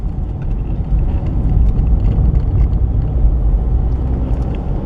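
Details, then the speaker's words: 2019 Chevy Trax driven over bumps after tightening a loose front brake caliper mounting bracket that had caused a front-end clunk: only a low, steady road rumble, with no clunks or knocks. "maybe that'd be the fun thing to do it sure is quieter"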